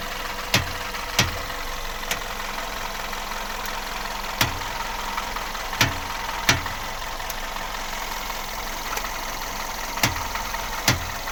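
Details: VW Golf Plus at standstill, engine idling: sharp isolated single knocks while turning the steering wheel in place, likely from steering or front suspension.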